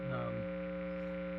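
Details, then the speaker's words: 2018 Gibson Les Paul Classic with P90 pickups and Bigsby, not being played: steady low electrical hum with a buzzy edge, louder than the recorded audio; pickup hum from environmental interference. "so I noticed while I was editing the video that the the hum is a lot more noticeable than the actual audio track that I recorded"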